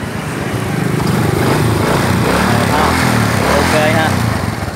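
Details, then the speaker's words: Honda Future Neo / Wave 110 motorcycle after repair with cam timing reset: small single revs up smoothly and settles back, even firing with no knocks or rattles. Normal engine revving. "Rồi sau khi mà sửa xong, anh em nghe tiếng máy lại nha, đang nổ rồ ga cái cây chung."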